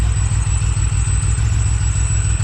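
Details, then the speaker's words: Supercharged Pontiac Bonneville SSEi after vacuum-leak diagnosis, running on its own: thin, steady high whistle above a lumpy idle, eased with slight throttle; traced to an air leak past an off-centre throttle shaft. "just straight up annoying that could be a very small like air leak i'm guessing here let's get the vacuum tester on it"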